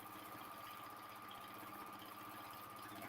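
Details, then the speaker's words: Quilting machine on a Cutie frame in manual mode, speed set by plus/minus controls rather than foot pedal: steady even fast stitching buzz with constant hum, no knocks or grinding; running normally. "so I'm going to turn it on we're in manual mod okay but see it might be a little fast for me as I'm moving but I could speed it up or slow it down"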